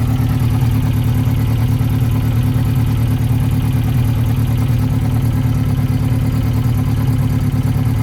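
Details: 1992 Yamaha XJ600 Seca II after carb work, oil topped up: a lumpy idle pulsing about 140 times a minute. Number two reads 180 against 420–440 on the others, a weak cylinder misfiring.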